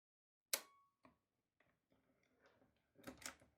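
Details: Repaired 1960s Canon Demi S half-frame 35mm camera, shutter fired at 1/500th: one crisp, sharp snap with a clean quick release and a few lighter handling clicks after. Normal shutter release, performing accurately after repair and reassembly.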